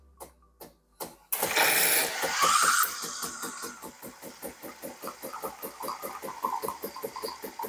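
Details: Saeco Xelsis SM7680/00 espresso machine being repaired for poor milk frothing (milk splashing), caused by two of four faulty solenoid valves: brief start-up surge, then even, rapid pump pulsing with no hiss or sputter; normal pump operation.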